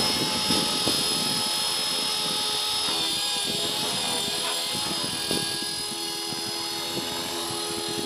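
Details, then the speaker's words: Align T-Rex 450 Pro DFC helicopter in flight, with a poor lipo. A high, rough buzzing whine rides over the rotor drone, suggesting a bad bearing. The owner is unsure whether it is tail, main or motor and suspects the tail. "Came closer, but you can hear the ugly sound from the salmon bearing."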